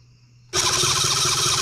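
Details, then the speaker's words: New Cison L4-175 flathead four-cylinder model engine, built and base-mounted, with 25 ml of 30-weight oil in the crankcase: starter spins it steadily with an even whir, no grinding or binding; healthy cranking, oil pump priming. "so what we're going to do is crank this over you guys can hear it and it almost sounds like a a gear reduction chrysler starter but a little bit more sick"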